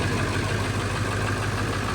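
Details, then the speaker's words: High-mileage, well-maintained early 1999 Ford 7.3 Powerstroke diesel just after a cold start: even, steady diesel clatter at idle with no skips, misses or knocks; idling healthy. "You can hear it. It's not skipping. Sounds healthy. Sounds happy."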